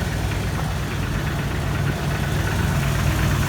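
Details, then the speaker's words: 2002 Jeep Wrangler TJ at idle, heard from underneath: light, uneven metallic tapping about three per second from around the oil pan or flex plate, sounds loose; starts a minute or two after startup or after revving; torque-converter bolts were snug, re-Loctited, no change; owner suspects flex plate, piston slap or broken skirt. "Sounds like it's coming from right around the oil pan or here where the flex plate is. Sounds like something's loose."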